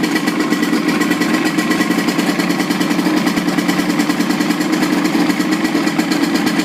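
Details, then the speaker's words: 55 hp Evinrude outboard running in a water container after throttle cable adjustment, started weekly: quick, even putter at idle with steady mid-pitched drone, no misses or knocks; normal idle. "I start up the engines once a week, make sure that all the components are getting used, and as you can see, there's no problem with this engine."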